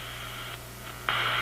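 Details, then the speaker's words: Zenith G615 tube radio (chassis 6G05), no antenna: steady buzzing hiss over a low hum that jumps louder, RF interference from an office computer's power supply in sleep mode about 20 feet away. "That is my office computer, which is about 20 feet from here, and it's not on. My office computer is in sleep mode, and this is what it generates while it's sleeping."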